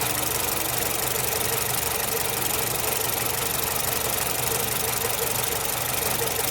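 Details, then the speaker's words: Nissan Platina losing power on pull-away and shaking at stops, exhaust backfiring; idle stumbles unevenly with irregular knocks in the exhaust pulse as one cylinder drops out. Misfire traced without scanner to a faulty ignition coil after recent plugs and wires. "entonces aquí en nuestra bobina es donde está la falla"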